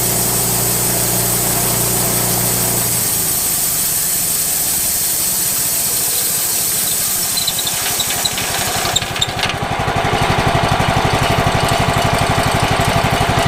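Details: Late-1990s Wood-Mizer LT15 band sawmill engine that sat unused for years, run after maintenance: it starts and runs with a steady, even beat of about four pulses a second, picking up smoothly near the end. Healthy running.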